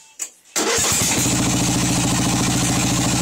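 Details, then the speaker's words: Craftsman engine, warm, recently filled with oil and smoking: catches after short crank, runs with uneven lumpy beat about three pulses a second, never settles, then dies; rough running and stalling at idle. "Yep, there it goes. Just died. This thing's warm. And it's just dying."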